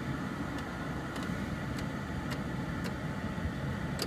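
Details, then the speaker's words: 2001 Dodge Ram Van 3500, 5.9, blower previously not working on any setting: steady, even rush of fan air over a quiet idle, with no surging or cutting out. Fixed; normal blower operation. "Works very well. You can even hear it versus before. It wouldn't come on at all."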